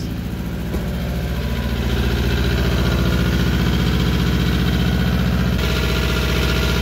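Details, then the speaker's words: 1999 Toyota Camry LE with rod knock, run after a piston was rewelded: lumpy, uneven idle with a lopsided beat about four times a second, one cylinder dead, low power, check engine light shows misfire. "oh it sounds so wacky kinda sounds like a fiesta it doesn't have very much power at all i mean it's got some power oh check engine light it thinks it's misfiring"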